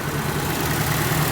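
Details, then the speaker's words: Nissan 240SX S13 SR20 running rough, smoke out the back after oil fell into cylinders: lumpy, uneven idle with low stumbling beat, shake and missing, sounds cool but no power though it builds boost; ignition timing suspected way retarded. "Oh, she's rough. I told you, man. Sounds cool, but... Sounds cool, no power. It sounds like the timing is just way retarded."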